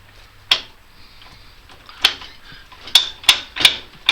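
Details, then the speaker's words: Newly installed differential locker in the 4x4 "Moose", with the wheel turned by hand: sharp, irregular metallic clicks as the locker slips and ratchets. It slips in reverse but not forward, yet locks both ways; cause unknown. "I can hear it slip occasionally. There, I can get it to slip in reverse, but not in forward."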